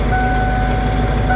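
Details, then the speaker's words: Ford F-250 after fuel pump work, older MAP sensor refitted, idle about 800-825 rpm, fuel pressure 30-45 psi running, on front tank: steady even idle under a nearby high beeping tone, no stumble or surging; running right. "running good I'm going to let it run and uh see what happens then we're going to switch tanks and see what happens"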